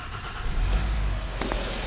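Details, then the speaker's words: 2012 Hyundai Sonata 2.4 GDI with long cranking, low power and misfire complaints: a brief crank, then it catches quickly and runs steadily, with fuel pressure about 730 psi matching its setpoint; normal start. "Actually not that bad, huh? So fuel pressure control is active."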